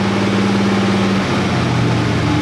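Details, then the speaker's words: Stock Chevy 350 small block V8 truck after fixing two burnt ignition wires and dirty plug that caused misfire and hesitation; low idle note shifting pitch as revs rise to about 1,200-2,000 rpm, firing even: misfire fixed, smooth running. "hold on about 1,200 and as it goes up smooth. Okay, so it looks like I fixed that issue."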